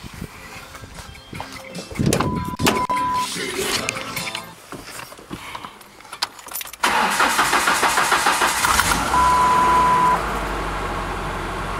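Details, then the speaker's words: 1999 Ford Ranger 2.5 L four-cylinder just after a fuel injector replacement: short crank, then a steady, even run on all four cylinders with no misfire or stumble and no leaks; normal running. "Well, we're running. And it's running on all four."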